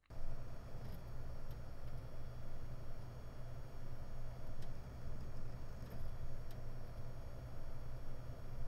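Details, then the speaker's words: WD Red 12TB helium NAS hard drive, SMART good, 29–44 °C: steady low hum with sharp irregular ticks every second or two as heads return to park, audible from a distance with strong vibration; all four drives bought do this; head parking tick. "I can tell the noise is from the head movement. Whenever the head's back to the base, it gives me a big tick sound. I can hear that from a distance."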